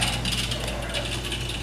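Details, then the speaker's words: GE dishwasher making a racket in drain mode: fast, harsh ratcheting rattle over the pump hum, from a foreign object caught in the drain chopper. "got a dishwasher here GE they said it's making a racket when it goes into the drain mode let's check it out oh yeah I hear something down there it's going to be something inside that the waist"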